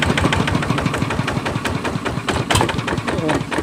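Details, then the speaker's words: Kubota ZT155 single-cylinder diesel walking-tractor engine on a wooden stand at idle: steady, even chug with no knock, strong vibration, loose thumping from the wooden support; runs normally. "สรุปแล้วว่าโอเคเนาะผ่านครับใช้งานปกติครับผ่านนะครับใช้งานปกติครับ"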